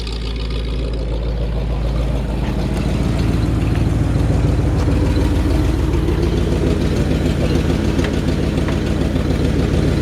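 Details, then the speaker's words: 1952 Ford F1 truck with modified 351 V8 at idle, heard from the rear: deep steady exhaust rumble, even pulse, no knocks; small exhaust leak on the right side noted. "so you can hear that really like the sound of the exhaust back here just got a nice old truck sound to"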